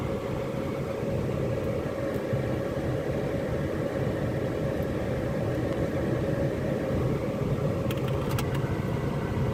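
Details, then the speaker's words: Used car bought at a dealer auction, just started, heard from inside the cabin with no dashboard warnings: smooth, even low hum with no knocks, ticks or whine; normal healthy idle. "and from inside the car the engine sounds absolutely fine I can't hear anything at all it sounds like everyone I've ever had"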